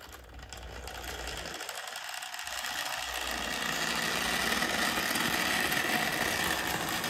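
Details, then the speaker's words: Older Bachmann GP40 model locomotive, CP Rail: loud, raspy whirr with fast steady buzz while running smoothly; drive far noisier than it should be; owner hopes no cracked gears, suspects it needs lubrication and cleaning. "so apart from the horrific noise this actually runs quite nice I really hope it's not get any cracked gears and it just needs a bit of living and a lot of cleaning"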